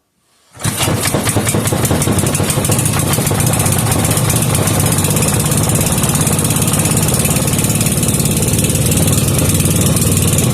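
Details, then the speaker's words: Briggs and Stratton 5 hp single-cylinder with gear reduction after turning the air-fuel screw out half a turn (previously needed half choke): fires immediately and holds a fast, steady chatter, carburetor dialed in; normal running. "and the kill wire works awesome carburetor dialed in"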